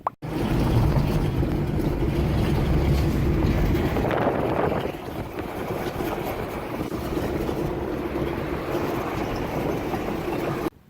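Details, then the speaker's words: 1995 Toyota Tercel driving: rough, gravelly low grinding rumble under road noise, like gravel inside, from front wheel bearing failed after a week of driving; bearing replaced. "It's terrible. Listen to it. It's grinding like there's gravel in there."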